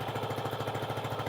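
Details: Renegade 125cc single-cylinder after fitting a rockwool-packed 45mm x 140mm baffle to the top exhaust pipe, which was previously a straight pipe: soft, even putter, no misses or rattles; quiet, healthy idle through the exhaust.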